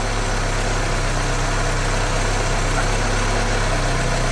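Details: 1974 VW Passat B1 with swapped-in GTI engine, timing set with timing light at about 60° advanced, no throttle cable fitted: smooth, even low idle with steady beat and no misses, knocks or hunting; running sweetly.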